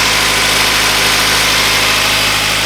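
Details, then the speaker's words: Honda CR-V after rebuild, power steering pump quiet after refilling reservoir that had run too low and caused noise; smooth steady idle with even hum, no whine or groan. "Definitely sounding a lot better. Alright, I think we're in business, guys. Sounds nice and quiet."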